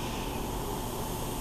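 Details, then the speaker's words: Barn-find Yamaha 650 leak-down test, homemade tester in spark plug hole, piston at TDC compression with valves closed, regulated air only 3 lb: steady soft hiss of air leaking already audible; source not yet found. "And as you can see, we're at 3 lb right now. And I can already hear it leaking."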